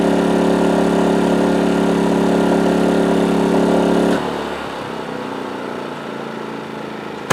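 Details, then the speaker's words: PowerSmart 2350W inverter generator with CO alert, powering a 1000 W microwave load: smooth, even engine hum holds steady, then eases to a quieter, settled run with no misses; running normally under load. "let's find something that a little higher wattage to see if we can get it to throttle up a little bit more"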